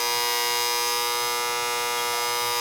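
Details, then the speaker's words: Goodman R22 AC condensing unit not running: loud steady electrical buzz with harsh high edge, compressor and fan not starting; contactor burnt black and not pulling in, to be replaced. "we got a bad contact Lydia it was out and I just pushed it in it was making all that noise you can see it's all fried see it's all black in there no good"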